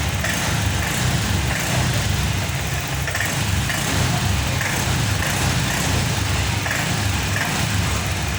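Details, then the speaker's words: Honda Vario 125 FI scooter after fitting a new injector, fuel pump pressure steady at 40: engine picks up cleanly in repeated blips with no stumble or popping; the hesitation caused by a clogged, dirty injector is cured. "Oke teman-teman, alhamdulillahirobbilalamin, motor ini sudah sembuh dari berbetnya, maksudnya dari ngemposnya."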